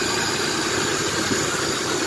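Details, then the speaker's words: 1994 Chevrolet S10 Blazer 4x4, 4.3 CPI, 190,000 miles, idling after a spider injector replacement and three years of sitting: a light, quick bottom-end tick; owner guesses the timing chain slapping the cover once the oil is hot and thin. Unconfirmed. "There's something else going on with it now that I got it running. There's a ticking noise in the bottom end."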